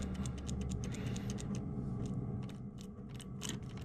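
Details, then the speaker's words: Suzuki RM250 that had no gears, after repair with the outer casing off and the gear lever worked by hand: crisp mechanical clicks, each snapping cleanly into place, the recognizable gear-change sound it lacked before; it now selects gears normally. "see it's making that sound that recognizable gear changing sound which it wasn't doing before"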